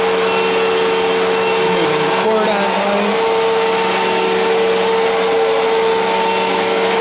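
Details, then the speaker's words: 1999 Fantom Fury vacuum bought used: steady suction roar with a high whine and a brief buzzing, grinding wobble midway that happens only occasionally; sounds different from owner's other Fury, cause unknown, bearings or failing suction motor suspected. "it also sounds different than my other Fury it only happens occasionally though where you can really hear it"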